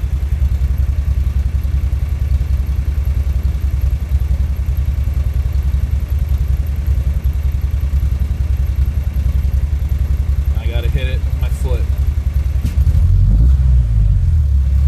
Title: 2.3t misfire